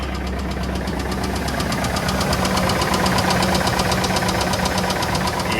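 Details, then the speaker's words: 6.0 LS V8 (Chevy Silverado) at idle: heavy, steady metallic knock pounding over the idle; others thought lifter noise, but judged a big rod knock. "Yeah, they thought it was just a lifter noise. That's uh maybe if they're talking about the lifter, the lift's the piston. That's a rod knock big time."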